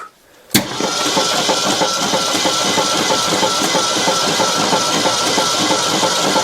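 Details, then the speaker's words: 1964 Ford Custom 500 289 V8, freed after being seized and abandoned for decades, cranked on battery: steady starter cranking about three turns a second with uneven beat, no firing; one valve stuck open, valve covers off; compression later found 0 psi on cylinders 4 and 6. "Just give her a little love tap. Hey, we're rolling over already."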